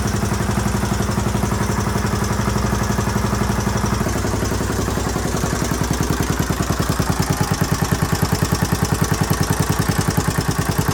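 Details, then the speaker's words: 1981 Honda XL500S, stone cold first start after fuel tank patch, oil change and air filter, on a makeshift fuel tank: big single settles into an even, steady thumping idle with no knocks or misses; possible small leak heard, carburetor not leaking; normal idle. "sounds pretty good might have a leak somewhere in here i can kind of hear it the carburetor is not leaking that's good"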